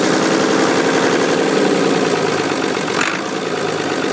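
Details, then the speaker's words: Ford 2708E diesel engine at idle; even, steady clatter with a regular beat and no knocks or misses, running smoothly and healthy. "to idle. You can hear that sounds really lovely."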